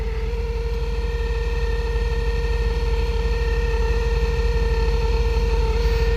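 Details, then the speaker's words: Blower motor on a 1999 four-wheel-drive truck with the AC switched on: a steady, even mid-pitched hum rides over the fan rush. The blower is still blowing and later frees itself up. Suspected bad blower motor, not confirmed. "All right, let's see if the AC works. Bad blower motor."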